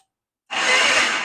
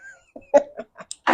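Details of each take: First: Yamaha XS650 chopper after new wiring harness install, first try on the electric starter: short even whir of about a second, spinning freely with no grinding or clicking; normal starter cranking. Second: Yamaha XS650 chopper at first start after a new wiring harness and setting the points and ignition timing: a few spits, then the twin runs briefly, uneven and lumpy, with no steady idle; the timing is suspected to still be way off.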